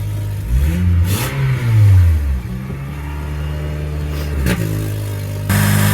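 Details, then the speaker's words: 2003 Honda with code P0507 that had overheated and lost its coolant: with no throttle, the idle hunts, surging up to about 2,000 rpm and dropping back. A massive vacuum leak is suspected; no idle relearn was possible with the scan tool. "It just hunts. It gets to a certain, it goes up to like 2,000 RPM."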